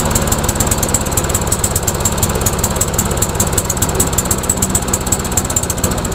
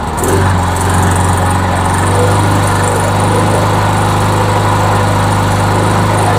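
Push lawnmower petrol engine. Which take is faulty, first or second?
first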